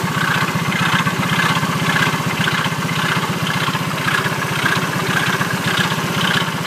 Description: Engine sound problem after incident engine stop suddenly